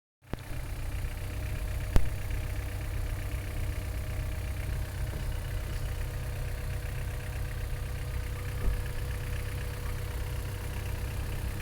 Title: H22a7 strange noise coming from the engine